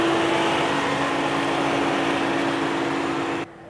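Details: VW Jetta 2.0 TDI diesel, codes P011700 and P218400: steady even cooling fan roar with engine off and ignition on, then abrupt cut-out; fans running constantly.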